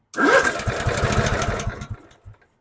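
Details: Dixon 4422 zero-turn mower that would not crank with the key: after a replacement starter relay is fitted, the starter catches at once and the small engine fires into a quick, regular putter before shutting off; starts normally.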